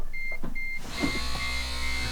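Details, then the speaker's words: Smart ForTwo Electric Drive, over 100,000 km and 11 years, after bad brake vacuum pump repaired: few chimes then steady low electric hum as pump runs on brake press; working, possibly louder than before. "you can hear it I don't know if it's louder than it used to be to be hard to say anyway we'll drive it and see what happens but I'm happy we got it working again"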